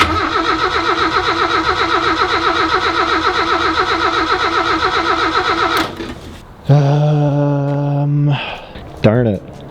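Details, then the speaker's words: 1989 Mazda 323 GT, 1.6 L turbo BP6T, unrun for 27 years; old fuel drained, crusty tank needing replacement, thermostat coolant leak. Starter churns about six seconds, engine never fires; fuel pump audible; owner suspects spark, possibly fuel. Crank, no start. "I think that's gonna be spark related, but it could be fuel. And I only say that because I can hear the fuel pump."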